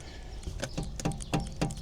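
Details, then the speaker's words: Mercedes R172 SLK/SLC raised on a jack, front wheel rocked at 12 and 6 o'clock: dull knocks about every quarter second from free play in the tapered front wheel bearing; this side needs bearing adjuster tightened. "Hear that noise? That's the wheel bearing play. So this side definitely needs adjusting."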